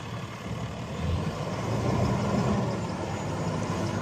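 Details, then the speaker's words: 2011 Kenworth T370 service truck, Cummins-made Paccar PX-6 6.7 L 300 HP diesel just completely rebuilt, 376k miles, Allison automatic: deep steady diesel rumble, even and unhurried, no knocks or misses, rising a little as it revs; starts easily, normal running. "I just can't remember them right offhand, but starts up easy, forward, reverse."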